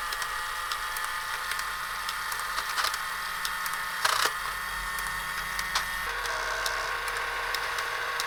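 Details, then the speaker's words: Tomy Electric Supercup Football game after repair (no power to motor, oxidized contacts suspected): light steady whirr with scattered small clicks as all players move up and down; mechanism running normally. "well they're all moving up and down I think that's it that's all it was"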